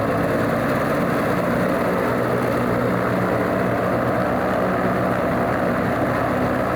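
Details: Alvis Leonides Mk 25 radial engine in a Percival P.56 Provost trainer on a ground run: deep, even rumble with the steady loping beat of a radial, no misses or rattles, a healthy normal idle.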